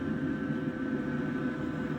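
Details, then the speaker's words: Diesel heater switched off after warming cabin to 8 °C: steady whirring fan with faint whine easing down evenly, no scraping or rattle, normal shutdown run-down. "or it's eight degrees so i think that can go off now and uh i'll sit and have my coffee because you can hear that winding down"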